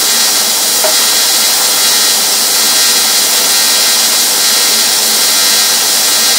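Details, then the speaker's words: Rossi TC205 AC TIG welder (replacement unit, failed about a year after arrival), base current around 66 amps, electrode held in one spot: steady hiss with no firm crackle, a feeble arc that won't strike well or form a pool. "it's having a lot of difficulty striking an arc and if it does strike an art it's not forming a pool the arc is very feeble"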